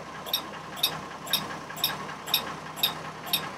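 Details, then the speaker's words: 2002 Chevrolet Trailblazer, about 200,000 miles, electronic cooling fan clutch replaced the previous summer: sharp, bright clicks twice a second over a quiet idle; constant at idle, stopping when revved, and the fan may not be communicating with the computer. "we have this awful noise right here this click click click sound that you get from these electronic uh clutch fans cooling"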